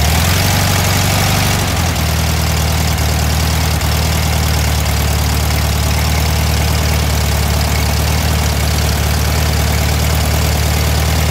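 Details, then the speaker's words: Warm VW Thing air-cooled flat-four during a tune-up: a fast, steady drone that never drops to a relaxed idle. The idle is too high from an overly tight throttle cable. "yeah the idle high yeah see the screws yeah you adjust that with those three screws"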